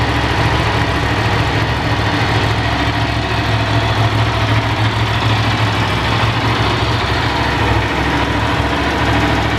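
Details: Ducati 750 SS Super Sport, 750cc air and oil cooled V-twin, about 65 hp, three owners, freshly serviced with new plugs, filters and cam belts: steady even idle with firm low throb, no knocks or rattles; normal idle.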